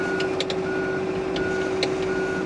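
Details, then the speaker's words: 2024 John Deere 35P mini excavator, tracking on the travel levers: evenly spaced high beeps about every three quarters of a second over steady engine hum; normal travel alarm, cancellable by button but returns after each stop. "while you're moving you hear that beeping you can click that and you're going to cancel it but anytime you stop start back up you're going to have to click it and cancel it again"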